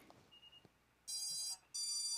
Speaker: and you can hear my esc's beeping and then i'm going to connect the usb port to my flight controller